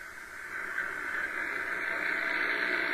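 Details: Shortwave receiver on HF bands in the afternoon: a steady loud hiss with no station audible. Heavy noise; owner suspects the lack of rain and static in the air.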